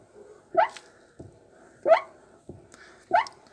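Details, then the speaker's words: Hyundai Accent Blue door swinging open and shut: three sharp rising squeaks with softer knocks, a chronic material-related squeak from the dusty door check strap, fixed by greasing it with yellow grease. "Hyundai kullanıcıları için söylüyorum ve birçok araçlarda meydana gelen kapı gıcırdaması kronik gibi bir durum arkadaşlar malzemeden kaynaklı bir durum malzemesinden dolayı oluyor"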